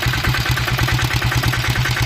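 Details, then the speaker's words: Royal Enfield Diesel Bullet 350 (Greaves/Lombardini single-cylinder diesel) after rebuild for piston slap, new injector cup and timing set: even idle thumping about six pulses a second, no knock; firing and idle perfect. "Firing और आइडियल तो परफेक्ट लग रहा है।"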